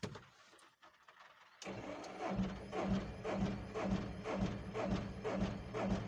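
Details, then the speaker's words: Tata Ace Zip XL, towed in, cranks at an even two beats per second without catching; scanner shows code P0090, crank no-start traced to an open fuel pressure regulator circuit. "है दोस्तों गाड़ी start नहीं हो रही"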